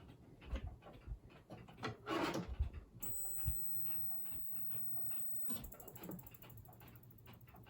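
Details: 1980s Zenith CRT television powered up while faulty: thin, very high-pitched squeal for a couple of seconds, then chirps as the supply cycles; owner suspects the power-supply IC.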